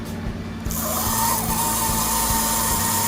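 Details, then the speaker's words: Aurora slot car GT Cobra on a transformer, first run after reassembly; tiny motor spins up to a thin steady high-pitched squeal, blamed on too little oil where the engine meets the body. "now you hear that squeal i don't think i got enough oil in where the engine comes down to the body so let me go ahead and do that"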